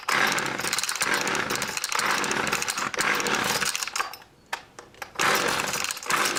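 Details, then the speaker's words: Homelite two-stroke, started with choke after about six pulls: buzzes high and uneven, surging and dropping with a brief stumble; running poorly, carburetor needs adjustment. "the choke on [ __ ] fires up it's not around the grass it definitely needs to be adjusted"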